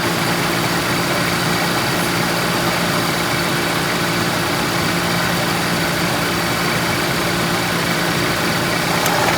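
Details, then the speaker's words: 1998 Pontiac Grand Prix GTP idling, AC on max cold while charging R134a through low-side port: rough, horrible knock from the AC compressor under steady hiss and drone, though air comes out ice cold. "So I want to point out, we obviously have a compressor that's got a horrible knocking noise going to it."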